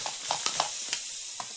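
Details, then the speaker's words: Partially inflated bicycle inner tube: steady thin hiss of air escaping through a failed patch that ruptured in a raised, volcano-like middle over the original hole, with a few handling clicks. "you guys hear the air hissing out and you can look up this patch failure here this is how it looks like it looks like it grew a volcano out of its middle it has a raised middle and you can see that it just split itself or ruptured in the middle"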